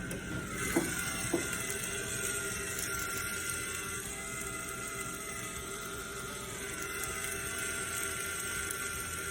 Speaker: customer States there's a loud whining under my hood